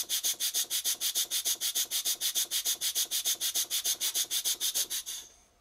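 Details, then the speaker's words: Cotswold Heritage model steam engine run on compressed air, oiled steam chest and cylinder: even, hissy exhaust beats about three per second, breathy rather than crisp; still wheezy despite plenty of oil, cause not pinned down. "despite having plenty of oil in the Steam chest and the cylinder the engine is still a bit wheezy have a listen to it I'll turn the volume up"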